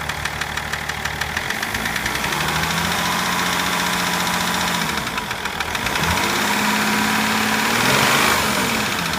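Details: BMW M57 diesel engine running with a steady rapid knock, about three to four per second, over its clatter; knocking started at about 240 km/h.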